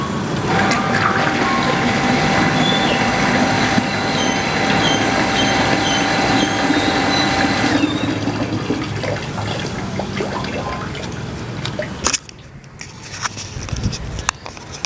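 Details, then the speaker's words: Water pump with DIY PCB low-water cutoff controller restarting automatically after the well is refilled, mic placed near the pump; steady motor hum with rushing water then fading as it stops near-empty: normal pump operation. "baik seperti itu ya karena menjadi cara kerjanya persis seperti apa yang kita inginkan yaitu tadi ketika level sumur sudah tinggi Maka pompa menyala"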